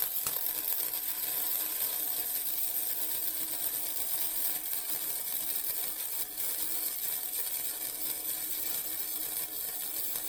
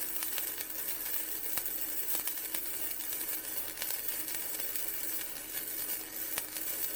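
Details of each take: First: Vevor MIG 130 flux core welder set at 45, flat beads on thin steel: steady crackling hiss with uneven sputter; the bead ran cold at the start, so the setting was slightly too low. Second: Vevor MIG 130 flux core welder raised to 55, flat bead on thin steel: steady crackling sizzle with fine, even pops and no sputtering breaks; much better, though possibly too hot for a gapped butt weld.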